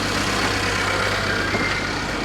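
A smooth, steady idle with no ticks or knocks over some outdoor yard noise; the engine sounds healthy.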